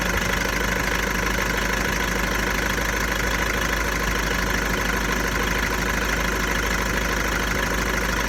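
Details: VW Golf 1.6 TDI diesel, 90,000 km, steady idle with a fast, regular rattle of about three beats a second; owner suspects the dual-mass flywheel, not confirmed.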